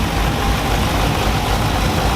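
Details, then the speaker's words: Dodge Challenger Hemi V8 after a bad lifter was replaced with Hellcat lifters and a bad cam with a new Comp 274 cam: smooth even deep idle, steady rumble, no ticking or knocking; healthy idle. "replace that uh bad lifter with a fresh set of hellcat lifters and replace the bad comp cam with a brand new comp companion 274 these back to purring like a kit"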